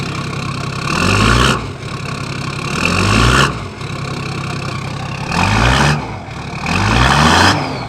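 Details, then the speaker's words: Toyota Landcruiser 1HD-T turbo diesel at 445,000 mileage, cold start after injector rebuild: even idle, clean climbs on four throttle blips and straight drops back, no white smoke. It is healthy, with strong power uphill in first gear. "So cold start in the morning. Let's see how it starts and then if it can make it up that hill."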